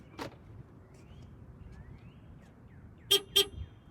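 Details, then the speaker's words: 2011 Jaguar XJL, 60,000 miles, on locking: two short high beeps about a third of a second apart. The door-not-locked warning double beep, caused by a broken door lock. "hear that that double beep is the car alerting you telling you that one of the doors has not locked"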